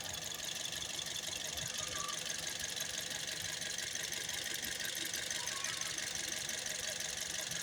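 At idle a steady tick-knock runs about three per second over a thin, rattly hiss, with an uneven shaky beat underneath.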